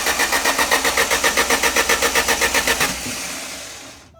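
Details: Alfa Romeo Spider: starter turns the engine at a steady four beats a second with no firing or pick-up, then stops; cranks but won't start.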